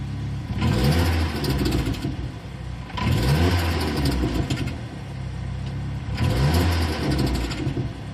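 Engine blipped three times in eight seconds, a whooshing rise and rumble with each rev; an odd noise is present, source not pinned down.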